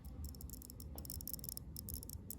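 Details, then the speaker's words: Geiger-Müller probe near autunite uranium ore with the detector's audio switched off, on the ×10 scale. Faint, irregular, unevenly spaced clicks over a quiet low room hum: normal probe clicking. "I'll switch the audio off. It's a lot quieter. But you can still hear the probe clicking."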